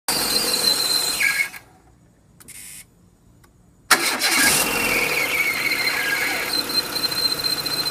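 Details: Renault Clio: a thin, steady high squeal over the running engine that holds its pitch. It is the water pump bearing failing, on an aftermarket pump fitted with the timing belt 10 months earlier; appeared after an hour of driving.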